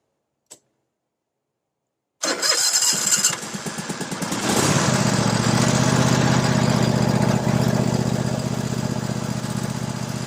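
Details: Toro SW 2400 lawn tractor engine being started during a battery and charging-system check; brief cranking, then it catches at once and settles into an even beat that smooths out as revs are raised; healthy running.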